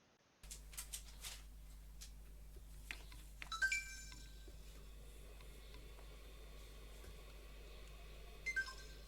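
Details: Water-damaged Xbox One: a single drop corroded two resistors on the RAM Vref line. A short electronic beep answers the power button, but no fan or startup sound follows, so the console does not turn on.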